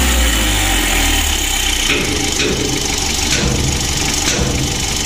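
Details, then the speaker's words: Mitsubishi L300 diesel at idle after adjustment: rough clatter with faint light tick on top; hum and shaking now gone, ticking said to come from the injection pump. "untuk seorang itiknya ini pada injection pump ya injeksi pump nya itu suaranya etik begitu"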